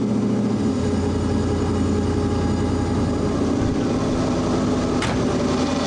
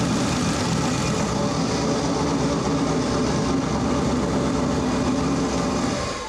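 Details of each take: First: Audi Quattro race car with 4-turbo LS V8 swap and AWD, first start after an engine-hoist rebuild, warming up: smooth even idle with a steady low rumble, no knocks or misses; normal idle. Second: Four-turbo AWD LS-swapped Audi Quattro race car after boost reached about 27 psi: rough running with a harsh hissing chuff pulsing from the crankcase, heavy blow-by; they suspect a holed piston or broken rings, and the engine will be torn down.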